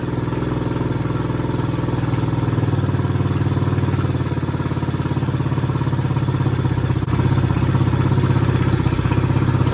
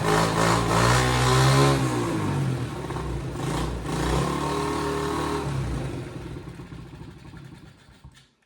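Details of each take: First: Chinese 50cc ATV revived after years outside, new carburetor fitted, run on a battery pack with rear propped up: small single-cylinder putters at a steady, even idle with no misses; normal idle. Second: Chinese 50cc ATV, left outside for years, first start after a carburettor replacement, run off a battery pack: a buzz with a couple of blips, then the revs sag and it dies instead of settling into an idle.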